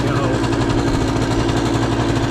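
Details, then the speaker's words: 1991 Honda EZ90 Cub, 90cc two-stroke with CVT, running premix because the oil pump was removed: fast, buzzy idle held steady and too high, enough that it wants to pull away; high idle. "Idle's a little high. It wants to basically just take off."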